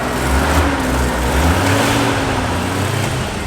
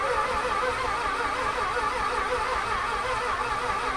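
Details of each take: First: Mazda Cosmo rotary finally idling after fuel pump work, steady smooth idle with even low hum, not very smoky, sounding like a normal car rather than a rotary; faint tone change as the AC compressor kicks on. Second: 1991 Mazda Cosmo being revived: steady even cranking hum with a faint whine and no firing; fuel pump seems to run, owner suspects no spark, fuel delivery not yet checked. Cranks without starting.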